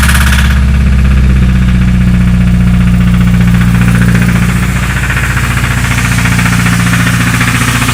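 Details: Idling Honda D16 four-cylinder engine with a deep, steady knock hammering beneath the low rumble: rod knock.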